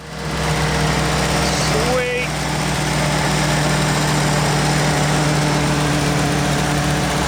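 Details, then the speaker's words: 1942 Ford WW2 jeep barn find, first start after long sitting, ignition hot-wired to battery: steady low idle with slight wobble, but flooding because the carburettor float needle is stuck, dumping fuel into the overflow. "sounds pretty good actually it lives yeah she's waking up but she's also resisting um hence the overflow the floats just got stuck of course you know needle this is what happens currently it's trying to chuck as much fuel down there as is physically possible"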